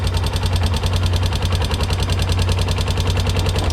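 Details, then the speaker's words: Kawasaki single-cylinder four-wheeler ATV at idle; steady rapid tapping three or four a second, a top-end tick that does not go away, oil line to top end to be pulled; top-end tapping noise, cause unconfirmed. "Let's see what she sounds like. Make sure that there's pulled. That's for sure top end."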